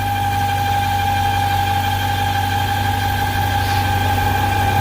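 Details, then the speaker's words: 1998 BMW V8, warmed up at idle: steady high whistle from crankcase overpressure, stops when the oil cap is removed and returns when refitted; diagnosed as a failed PCV valve, to be replaced first, oil separator next if needed. "que compañero eso es como les decía por la válvula pcv"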